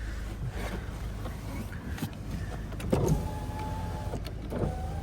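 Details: 2008 Volkswagen Golf Plus 1.6 MPI petrol, 208,000 km, one owner, full power-window package: short, smooth motor hums rising to a steady whir as each window travels, no grinding or clicking; windows work fine.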